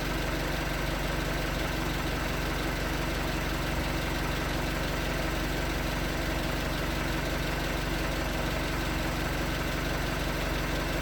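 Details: 2019 Hyundai Tucson 2.0L GDI Nu, 24,000 miles, on Mobil1 5W-20 with a NAPA filter under 1,500 miles old: rapid, even hollow knocking, about four per second, at cold idle. Owner suspects piston slap; switching to 5W-30 only slightly improved it.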